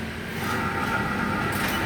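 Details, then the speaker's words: Mitsubishi Kuda, front left wheel bearing: low steady droning hum as the wheel turns, louder at high speed, starting to fail; worn wheel bearing hum. "Lalu ada temuan nggih laker sebelah depan kiri. Laker roda atau bering rodaan iku sudah mulai dengung."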